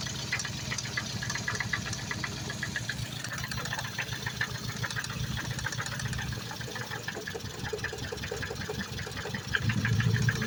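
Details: Freshly rebuilt Focus ST idling: light, uneven ticking knocks repeating quickly over a quiet idle; owner unsure if injector or cam phaser, not timing chain, suspects a split ignition coil misfiring (bad coil on cylinder three); cause unconfirmed.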